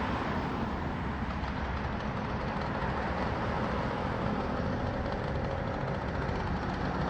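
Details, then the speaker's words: Freshly built 80cc two-stroke bicycle engine with banana pipe expansion chamber, first start after fitting carb, chain and CDI; steady even buzz at constant speed, no misses or knocks; runs fine. "What do you think, man? That ran good, man. That's crazy."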